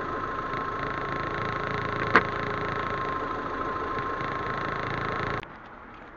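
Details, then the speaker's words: Proton Waja MMC automatic after fitting the standard 82°C thermostat and resetting the ECU: steady, even idle with no hunting or dips; idle now stable and healthy. "Okey ni cantik. Bagi ECU buat dia punya kerja sikit."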